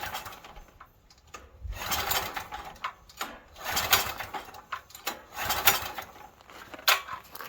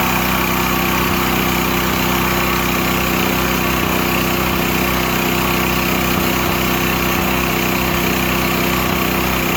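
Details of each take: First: Stanley 8000 W generator bought used and left sitting four years, pull start with choke: repeated rasping recoil pulls about every one to two seconds and it never fires, cranking but no start; owner suspects a stuck float and will retry ether. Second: Used Stanley 8000 W all-weather generator, sat four years, running after a starting-fluid start, choke off; loud, constant drone with unchanging pitch, no surging, hunting or knocking, normal running.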